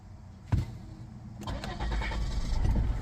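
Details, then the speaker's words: Volvo V60 D3 diesel, hard starting: a crank thump fails, then it catches on the second try and settles into a rough, building run; the owner also reports power dropping under acceleration. "start it like now it cranks like this you can hear the crank it's cranking it's cranking then fail to start I try"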